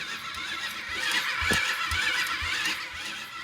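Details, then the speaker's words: Cheap quad with new battery fitted, first crank attempt: slow, uneven starter cranking with a dull thump two to three times a second; turns over against compression, not seized, battery possibly weak. "no way no way dude it's turning over oh that sounds blown oh wait no it actually sounds like it has compression it's turning over it's not seized"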